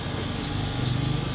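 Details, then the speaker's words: Panasonic window-type aircon that ran only briefly with no airflow, fixed by reseating a loose plug connection; steady even low hum with smooth fan rush, no rattle or buzz, waiting for it to cool. Normal running. "so umaandar na mga ka-master then try natin antayin na mag k yilo dito hanggang na lumalamig"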